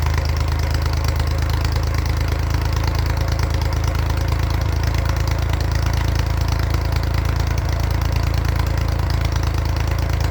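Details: 1942 Oliver OC4 crawler after years of mechanical work: steady even low thump about three beats a second at idle, no misses or knocks; healthy.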